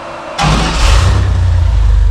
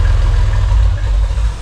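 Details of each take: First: Rock crawler buggy engine with spider fuel injection, first start, very large muffler: catches within half a second, steady loud deep exhaust rumble at idle; normal running after start. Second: Rock crawler buggy first start with Spider fuel injection and an oversized muffler, components warming for the first time: a deep, heavy, barely muffled rumble at a steady idle, like a straight pipe. Excessively loud exhaust.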